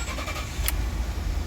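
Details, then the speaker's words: 2011 Ford F-150 3.5L that had a no-start from CAN communication issues; after a broken CAN wire was jumpered, a brief crank catches quickly into a steady low rumble that settles evenly. Normal start after repair. "There we go. Engine's running. Everything seems okay."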